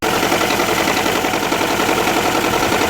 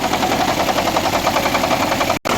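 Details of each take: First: 2009 Nissan Altima Hybrid that would not go into Ready mode due to a misfire from a shorted ignition coil: the engine fires and runs steadily and evenly on all cylinders, ready for a test drive. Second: 2009 Nissan Altima Hybrid that would not go into ready mode, during a 10-second auto crank: rough, uneven running with irregular pops and stumbles in the firing rhythm; misfire from a shorting ignition coil.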